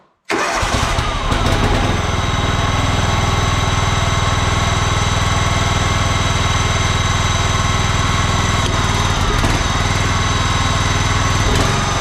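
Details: John Deere LX186 riding mower with a 17 hp Kawasaki engine on an auxiliary fuel tank, restarted after the air cleaner was refitted, fuel shutoff solenoid still dripping: it catches within a second and settles into a steady, even thump; it runs smooth.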